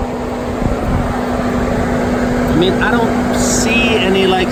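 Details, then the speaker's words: 2018 Mercedes-AMG C63 S just shut off after transmission temps reached about 258: steady loud after-run cooling fan roar, way louder than normal; punctured radiator leaking coolant later found as cause of high temps. "I know you guys can hear this now and on these AMG's there's always a fan that's running like right after you shut the car off but yeah it's it's just way too loud"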